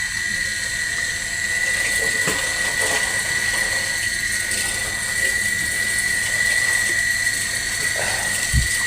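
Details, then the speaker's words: PDC battery-powered inverter connected to a 200 W lamp load, before repair: thin steady whine with irregular sharp clicks from the on/off relay under two per second; relay chattering, no output current. "Oh, seperti ini, Guys. Arusnya tidak keluar. E untuk ini relay-nya. Relay. Relay di bagian on off-nya ini bunyi cetek-cetek."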